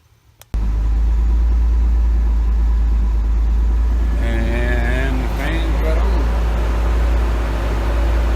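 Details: Pontiac Fiero 2.8L V6 after cooling fan switch sensor replacement: steady, even engine drone with the fan whooshing as it cuts in and out; fan cycling normally.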